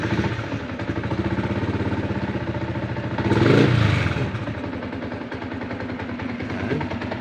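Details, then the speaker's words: Yamaha Sniper 150 V1 just started and warming up: idle with a loose busy clatter on the firing beat, louder with the clutch lever released and quiet when pulled; worn clutch damper, to be replaced. "Maririnig ninyo. Siya, paingganin yan. Ayun, ingay yung makina niya."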